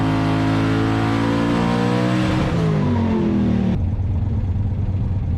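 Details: Twin-turbo 427 small-block Ford Fox-body Mustang with Holley EFI and a turbo 400, on the dyno with dome pressure turned down 4–5 psi: strong, smooth rising roar at full boost with no stutter or misfire, 1297; clean graph.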